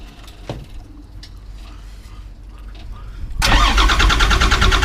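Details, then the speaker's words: 91 Ford F350 with CAT 3126 diesel swap, hard-start issue: quiet, then engine catches and runs rough and loud; no air leak found, fault is low oil pressure (oil pump suspected). "so turns out we don't have an air leak guys and we got an oil pressure issue"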